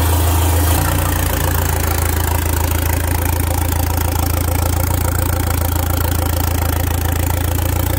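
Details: Alfa Romeo MiTo 1.4 T-Jet, freshly built with forged ZRP rods, Wossner pistons, Boubis cams, Abarth hybrid turbo, no downpipe so noise exits straight from the turbo: steady even idle, deep loud drone, no knocks or misses; healthy.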